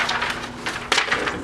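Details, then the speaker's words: 1983 Sears (Brother) Correct-O-Ball golf-ball electric typewriter on startup: brief scratchy rattling bursts with one sharper clatter, then quiet; owner suspects drive shaft and motor aligning plus slightly worn bushings, unconfirmed. "there's that noise I was talking about. It does that on startup. I think it's the drive shaft and the motor aligning itself with something, and the bushings being a little worn out."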